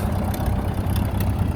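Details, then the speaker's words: Flathead motor dated May 1931, run again after 40-plus years sitting: a low, steady idle burble with an even beat and no knocking or stumbling, a normal idle. "out and running got it out for a little spin today running tip"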